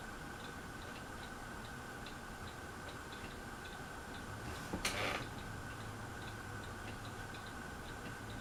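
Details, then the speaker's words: Harbor Breeze Aristocrat ceiling fan running on medium: a light, fairly regular clicking about four times a second over the motor hum, cause unclear. "can hear the clicking a little bit."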